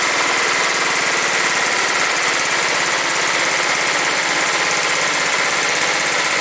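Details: John Deere STX38 lawn tractor, Kohler Command 13 hp engine, 38-inch deck, fixed after a no-run: quick, even firing at a steady idle with no misses or surging after reassembly; engine running properly.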